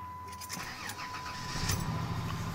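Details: 2000 Dodge Grand Caravan SE, 192,000 miles, fall cold start: short crank, catches in about a second and a half, settles to an even idle; healthy cold start, easier than usual.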